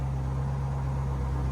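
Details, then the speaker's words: Drift car engine on solid engine mounts after a misfire fix. Smooth, even idle with no skips; it shakes a bit, probably from the mounts, and oil pressure reads high. "yeah it sounds alright probably just call it solid mount and it's shaking a bit"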